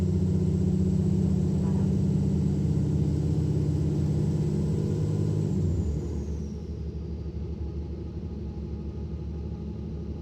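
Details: Mercedes Citaro O530 LE bus with OM457 hLA/EEV diesel at full kickdown: loud high turbo whistle over deep diesel rumble under hard acceleration, falling away as load eases; owner says turbo whine this loud is not normal.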